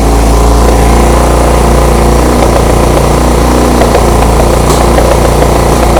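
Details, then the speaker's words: 1975 Honda CB200T after backing out carb screws: loud, fast, slightly uneven idle with no throttle, well above normal; owner suspects the air mixture screw setting, unconfirmed. "And huh, I think the the idle was way too high. I wasn't revving it up at all."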